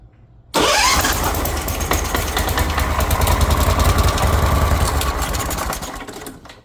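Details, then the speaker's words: Kawasaki Mule repowered with a Briggs Vanguard engine, choked: long, steady starter cranking at about 3.5 beats a second with no firing, fuel-starved; the owner saw air pushed through and suspects the fuel pump lines are hooked up backwards. "Huh. I don't know about you guys, but what I just saw there is a lot of air getting pushed into this. Something tells me I've got the fuel lines on backwards, which could absolutely be the case."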